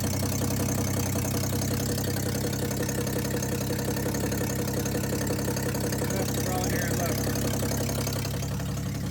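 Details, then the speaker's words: 1962 Ford Falcon, unrun 25 years, warm, on original coil and wiring: steady idle with a dull low knock about three a second; owner hears a lower-end noise, cause unconfirmed. "I don't know how well the video is picking it out but nothing got a lower-end noise"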